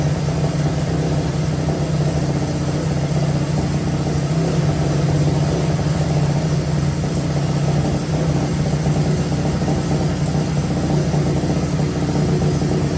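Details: Honda 185S three-wheeler single-cylinder on E85, with a ported stock carb and an O2 sensor in a welded bung, reading about 9–10 air-fuel ratio at idle against a 14.7 target: a deep, heavy, lazy, blubbery idle; running far too rich.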